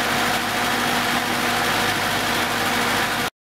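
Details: 1970s Datsun with freshly reworked ignition, idling after starting on its rejuvenated 6.5-year-old 12 V battery: steady, even idle with a smooth hum and no misses or knocks; the engine sounds healthy.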